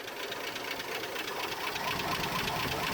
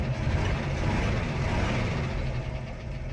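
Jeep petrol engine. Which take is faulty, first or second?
first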